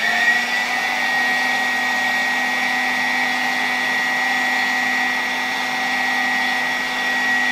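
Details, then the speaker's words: 1964 Gamma II (type A-6b) vacuum cleaner with a KASB-70/30 motor, after cleaning a rusty unit and an overhaul, blowing hot air from its outlet through a dryer attachment. Steady, even hum and airy whine, no rattles: normal running. "i wszystko bardzo ładnie działa leci tutaj naprawdę ciepłe powietrze parzące wręcz po kilkunastu sekundach w rękę"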